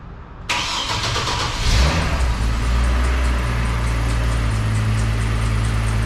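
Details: Slammed ice cream truck started after sitting outside through a Michigan winter, on a chilly day: brief cranking, catches with a rev flare, settles to steady low idle with no knocks or misses; healthy start.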